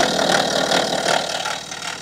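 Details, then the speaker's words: February 2014 BMW F15 with N57 diesel, 184,000 miles, idling: loping idle with loose metallic rattle clattering over the top; stretched timing chain rattle. "vehicle has some terrible timing chain rattle on it. It sounds very lopy."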